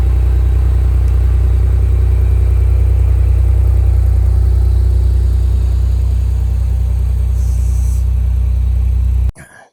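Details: Countach replica kit car by Final Concepts on a 1986 Fiero GT chassis, V6 idling right after start following a battery change and long sitting: steady, smooth, even low idle pulse, no knocks or misses; running great.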